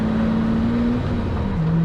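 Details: Lamborghini Murcielago Roadster with a transmission fault, driving in second gear: smooth, steady engine drone under light load, pitch easing with the shift and no knocking. The knock-like transmission noise heard in first is gone.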